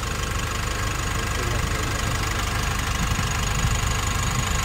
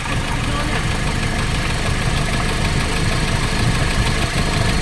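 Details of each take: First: Nissan NV350 diesel after replacing injector washers and one fuel injector, no check engine light: even idle with steady low rumble and regular light clatter, no stumble or misfire; vibration problem solved, running normally. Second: Nissan NV350 diesel running with the valve cover off after new injector washers stopped the leaks. Loud clatter with an uneven knock of about three to four beats a second through a rough idle; vibration and fuel knocking remain. Diesel knock.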